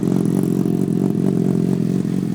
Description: I was wondering if this is the normal ticking noise these fz6's are supposedly known for.